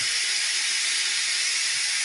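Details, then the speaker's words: Chiller plate heat exchanger being refilled with water through a slowly opened valve: a continuous high, airy hiss with no low rumble as water flows in and fills the plates. The valve is opened fully once the hiss stops, then the exchanger is bled from the top. "Now you open it all the way. There you go. As soon as you hear the hissing sound, stop."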